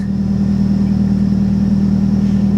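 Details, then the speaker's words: Salvage-auction car, low on fuel, with good oil pressure and voltage but listed as not moving: smooth, even idle with a steady low hum and no knocks, ticks or exhaust puffing; engine and exhaust sound good. "but the exhaust sounds good the engine sounds good it does"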